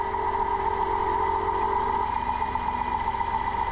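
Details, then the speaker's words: 2005 Dodge Grand Caravan 3.3L running with main alternator cable removed and taped: steady whine near one kilohertz over idle; alternator noisy, faulty diode pack suspected of shorting battery. "in this case yeah just that simple it's just gone I need an alternator running and if you can hear that this is a wee bit noisy the main cable is off taped up"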